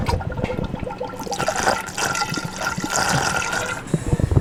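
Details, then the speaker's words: BMW E90 running during a cooling system bleed after a cooling overhaul: watery gurgling and bubbling as trapped air is pushed out while coolant is topped off, which takes about 10 to 15 minutes; air in the coolant. "But yeah, it should be making this like weird gurgling kind of, you should hear it."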